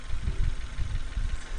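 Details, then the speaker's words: 2001 Nissan Almera 1.5 QG15DE warm at idle (thermostat open) after an oil and coolant service: soft, smooth, even idle with light fuel injector ticking and no cam chain rattle; normal idle. "can hear it's running quite nicely that's very smooth that ticking that you can hear is the fuel injectors"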